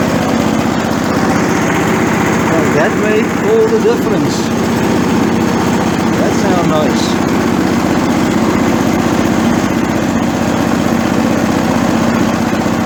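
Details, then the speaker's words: Torx 140A small engine after adjusting choke linkage travel so the choke closes fully to cure hard starting, cold start on full choke: holds a steady, even buzz with no hunting or stalling; starts cold and runs smoothly. "okay guys uh captain fantastic man your plan works like a dream brendan thank you that was now a success story"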